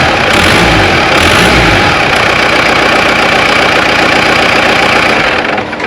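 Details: Compound-turbo diesel with upgraded valve springs, first start after plumbing and new battery: loud, rough idle with rapid puffing tick from an exhaust manifold leak; a fuel leak at the crossover return line was also found.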